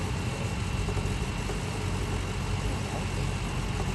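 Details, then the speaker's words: 2011 BMW 335i xDrive N55, 6-speed, bought with a knocking engine, first start off the tow truck: low idle with an uneven, lumpy pulse and stumbles; rough idle misfire. "It's not nothing at all. It's weird. It sounds like complete shit."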